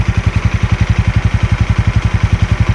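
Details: Normal idle of a Yamaha Mio Sporty 115 carburetted scooter after fixing missing and surging idle and hard starting, without replacing the carburettor: steady exhaust putts about eight a second, even and unbroken; revs drop back to idle promptly.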